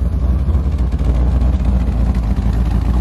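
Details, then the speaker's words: C4 Corvette V8 warming up after TPS adjustment and coolant temp sensor replacement, idling with a deep steady rumble and slight lope from the cam; now running at a good idle. "but it's running it got the cam a little chopped a little bit back a little bit more now so I know it's actually running at a good item"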